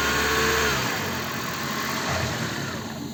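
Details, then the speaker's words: Toyota Prius (20/30) after replacing faulty injectors and service: soft start then even, quiet idle with no rattle or knock; earlier rattle between gearbox and engine gone, engine runs without problems. "все ничего не тарахтит после всех процедур двигатель работает без проблем"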